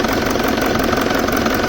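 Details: 2007 BMW E65 745d 4.4 V8 common-rail diesel, EDC16C31 ECU, with EGR faults (EGR valves unplugged, no change): steady idle with dense rattly knock; injectors suspected, cause unclear.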